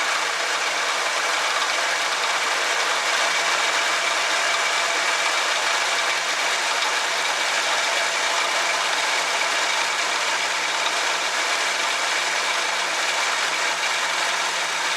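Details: 1966 Chevrolet C10 during a tune-up, before timing is corrected: steady but slightly hurried idle with a faint light clatter over it; ignition timing set far too advanced.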